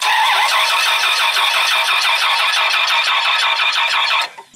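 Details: Dodge Ram 2500 V10 no-start: starter cranks steadily about three times a second for four seconds and never catches; crankshaft position sensor failed, giving no signal.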